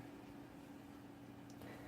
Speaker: it's not silent or anything like that but very quiet